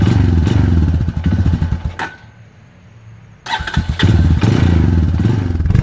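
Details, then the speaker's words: 2002 Honda TRX250EX quad left outside under a tarp for 10 years, first start after fuse replacement and fuel additive: uneven single-cylinder idle with rapid knocking, cuts out and restarts; stethoscope places knock near the clutch, owner hopes clutch adjustment fixes it. "it's running pretty good right now but the engine is making a knocking noise and i was concerned i used a stethoscope and i can tell it's coming from up here which is where the clutch is"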